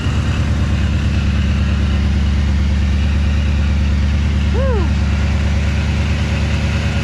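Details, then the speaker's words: Engine's first start after a DIY Paxton supercharger install, on a baseline tune and low on fuel, warming up with cylinder head temperature 124: deep, steady idle with even firing pulses. Runs normally, with no knocks or misses. "sounds vicious right now I love it everything seems pretty fine as of right now the cylinder head temp is at 124"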